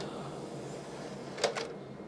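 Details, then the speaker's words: PlayStation 2 bought on eBay as having no power, testing with Enter the Matrix; a soft whir of the disc spinning, then a pair of clicks as the laser seeks; normal disc drive spin-up and read. "it definitely sounds like it's trying to read it okay I think it knows there's a disc"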